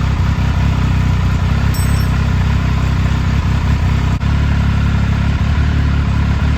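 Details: 2000 Triumph Sprint ST 955 triple, first start in 24 years after being wrecked new and stored in a barn, with a cleaned fuel pump and new fuel hoses: steady, even low rumble at constant idle with no knocks or misses; running normally.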